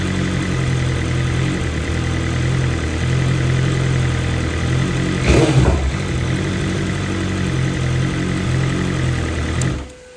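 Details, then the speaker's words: 2023 BMW M1000RR Competition fully warmed, new exhaust system with stock muffler: steady idle that lifts and sags gently midway, then shuts off; mild idle hunting is normal, from high-lift cams and high compression. "you can see how the idle hunts a little bit right there um that's just due to the fact that we have a new system on here but we also have the stock muffler on there"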